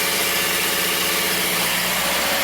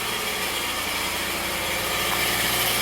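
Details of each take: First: Subaru with a manual transmission on its first start after new exhaust valves, fresh oil and an OEM filter: steady, even idle with a soft hum under hiss, some smoke, and a possible heat shield rattle; normal idle. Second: Subaru after new exhaust valves, first start: fast dense metallic rattle over idle like loose sheet metal near exhaust; probably heat shield rattling, unconfirmed.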